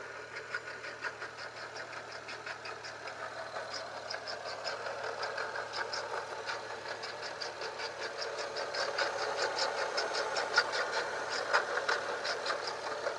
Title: 135i rattle noise